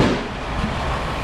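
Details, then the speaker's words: Ford Escape V6 with no stored codes because it had no battery; uneven, lumpy running with a ragged low rumble, irregular pulses and backfires before the crusty battery cables are cleaned. Rough running engine, cause unclear. "oh yeah it's running bad you hear the the backfires not good"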